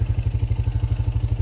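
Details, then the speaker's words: 2002 Honda Foreman ATV on a test ride in snow after a squeak, which turned out to be the brakes, was fixed: a low, steady engine thump at about nine pulses a second with no brake squeal. "and no squeak how did I go so long without thinking about the break"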